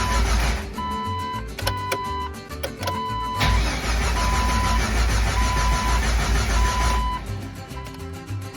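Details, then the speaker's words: Jeep 4.0 first start after overhaul: starter churns steadily about twice a second but never catches, no RPM reading; owner suspected the original 20-year-old, 200,000-mile crankshaft position sensor; actual cause an open crank sensor harness. "didn't work either the only thing left I don't want to say the only thing there's still a few things I gotta check but I'm not getting any RPM so I'm thinking it's this uh crankshaft position sensor"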